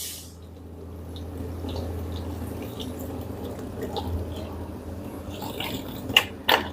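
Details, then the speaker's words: Bosch dishwasher after replacing defective heat pump that caused error E09 within five minutes of starting: steady low motor hum with water swishing and splashing, pump circulating evenly, no grinding or leakage; wash pump running normally. "I'm check actually no any leakage the motor start already you can hear the"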